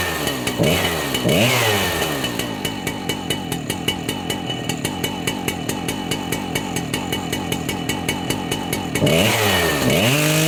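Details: Husqvarna 3120 two-stroke chainsaw started for the season: steady popping idle with regular firing, then crisp revving at the end; normal running.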